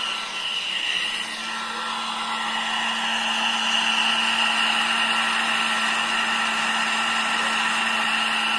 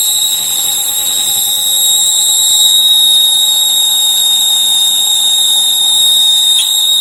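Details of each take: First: Folding 1000 W hair dryer running after a noise repair: a steady airy rush with a low even motor hum and no whistle, back to its original sound. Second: 1000-watt foldable hair dryer switched on: a piercing, steady high whistle over the airflow, loud enough to hurt the ears, from a dry, rusty motor bearing squealing.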